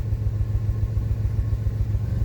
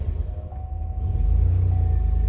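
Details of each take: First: 2005 Pontiac Grand Prix idling in park: a deep, lumpy idle with an uneven stumble every few beats, a single-cylinder misfire on cylinder one from a failed ignition coil. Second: Pontiac Grand Prix (likely 2005) after new ignition coils and codes cleared: catches quickly and settles into an even, steady low rumble with no misfire, unlike before when the pedal had to be held to keep it running.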